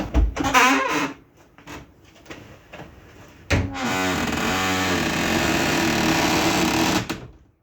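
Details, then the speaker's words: Reliant Robin MK2 Anniversary Edition, old rear wiper inside boot area: rough scratchy squeak repeating about 2.5 times a second as it sweeps; wiper motor sounds dry, owner thinks it needs lubricant. "Now, that sounds like that needs a little bit of lubricant."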